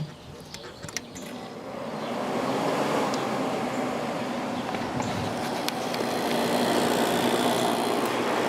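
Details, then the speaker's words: 1989 Climatrol (Fedders) 8,000 BTU air conditioner with Rotorex compressor and Samsung fan motor, after cleaning the condenser, evaporator and base: airflow builds to an even, steady rush with a low hum and no rattles; quiet, healthy. "A lot more air going through that condenser coil now. That sounds nice and quiet."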